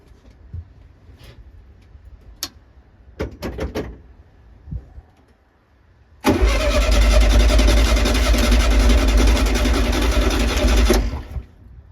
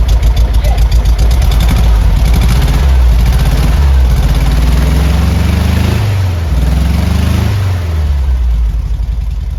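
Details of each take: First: 1972 VW Beetle not started for over three years, with heavy crankshaft end float and untouched points: the starter churns the engine evenly for about five seconds but it never catches. It cranks without starting; electronic ignition and fuel lines needing redoing are found afterwards. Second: 1972 VW Beetle with heavy end float, on its first start after about three and a half years: a deep, even exhaust note that rises and falls cleanly with throttle, responsive, with no misses or knocks. It runs normally.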